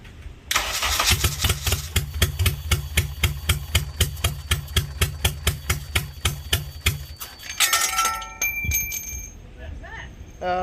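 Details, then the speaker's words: K24A-swapped DC2 Integra on E85, first-ever start; fuel rail and injectors not leaking: starter turns about four beats a second for six seconds, no firing; crank-no-start from TDC and camshaft position sensor plugs swapped, fixed by swapping back. "On that first startup, ends up I had the TDC and then the camshaft position sensor connected backwards, so plugged those back around,"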